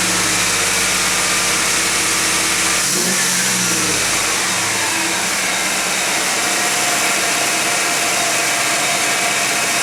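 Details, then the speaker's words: Warm 1991 GMC Jimmy V8 at 55°F ambient holds a fast, steady idle with heavy hiss and no dip. A flammable-spray test showed no vacuum leak. Owner suspects an air-fuel or other sensor sending false information to the computer. "that was disappointing i used the flammable one so apparently i don't have a vacuum leak now the idle is still high it's up to temperature it's idling high"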